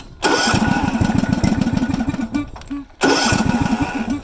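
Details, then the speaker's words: Ride-on lawn mower engine during a service, where a hacked-off valve part appears stuck: it fires and chugs unevenly, sags and nearly dies, then catches again and runs rough, as if starved of fuel; cause not confirmed; rough running and stalling. "if I crank it now I don't think it'll run it's really struggling"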